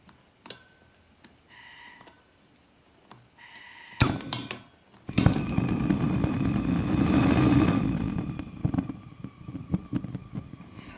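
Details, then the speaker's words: Gas burner lighting a miniature pottery kiln, gas turned down: quiet clicks then a loud roar with uneven pops; burner popping, probably because it sits too close to the kiln. "he's popping a bit, isn't he? So let's move the kiln back a bit. He's popping like that. It's probably because he's too close."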